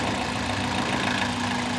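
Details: 2000 Toyota Celica GT 1.8L VVT-i with low oil affecting the VVT solenoid and cam phaser, codes P0300, P1315 and pending P0304: uneven idle with a fast, light top-end ticking; valvetrain noise from low oil, fixed by adding oil.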